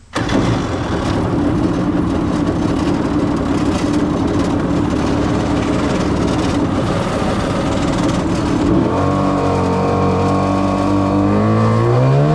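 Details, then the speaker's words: Jet Jon two-stroke jet boat engine after a Mikuni SBN 38 carburetor rebuild: a quick start, then a loud steady buzz climbing smoothly as the throttle opens, no stumbling; it now has pep it lacked before the rebuild. "She's got some pep to her now."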